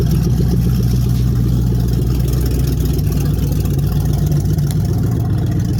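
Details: 1994 Dodge Dakota 4WD, 5.2 L 318 V8, A518 transmission rebuilt: exhaust open at the manifolds with the stock Y-pipe off (Flowmaster 40 behind). A deep, loud, rumbling idle with a raw, uneven burble and no muffling.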